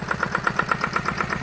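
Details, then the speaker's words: Farymann A40 single-cylinder diesel on a test bench at first start-up after overhaul: crisp, evenly spaced firing pulses about eight per second, no misses or knocks, no smoke; idles cleanly. "idles nicely no smoke it's a wonder"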